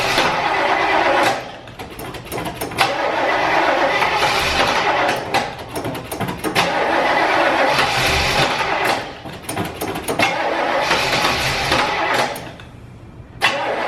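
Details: Car with a battery too weak to crank, jump-started with a booster pack: engine cranks with a steady, rhythmic churn, catches and runs, then cranks and catches a second time; normal cranking and start.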